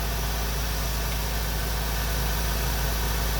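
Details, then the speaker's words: Honda Integra classic car idling after replacing the ignition coil: steady, even idle with a smooth low drone and no misses, stumbles or knocks; running cleanly again after the no-spark failure. "Woohoo! purring like a kitten again. I'm gonna go for a ride."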